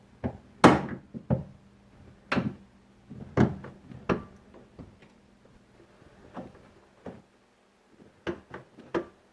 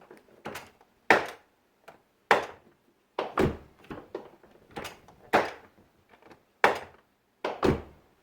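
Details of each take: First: 2001 Chevy Silverado driver's door after installing a new door check: door swings with crisp, solid detent clicks and a solid close, much quieter, no creak or pop; door check now working properly. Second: Driver's door on a 2001 Chevy Silverado opened and closed: sharp clunk and rattle about once a second at each swing, door check rubber boot missing and part bouncing in the jamb; worn door check needing replacement.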